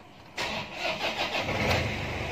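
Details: Toyota Hilux 2KD diesel with P0488, lacking power, after throttle body wiring fix and code reset with a scan tool: brief crank, then it catches cleanly and settles into an even, steady diesel idle; normal start and idle.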